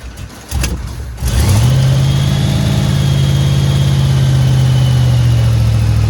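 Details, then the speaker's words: 1989 Dodge three-quarter-ton base-model truck, with almost no fuel in it and primed before starting: it cranks briefly, catches and flares, then settles into a smooth even idle with a steady low hum and no misses or smoke. "look at that fellas and girls we got a running shop truck [Music] man that's exciting"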